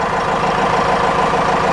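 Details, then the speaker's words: 4BT Cummins turbo diesel after an oil change and a washed-out air filter, with oil pressure building: a smooth, even diesel idle with a steady clatter and no knocks or misses; it sounds healthier. "engine can give it a little bit of throttle or pull up that oil holder she's current sounds happier got"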